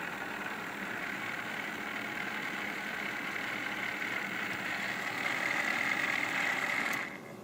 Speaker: This is not a sound you want to hear. We're really not sure why it was making that noise at first. Your water pump should not sound like that.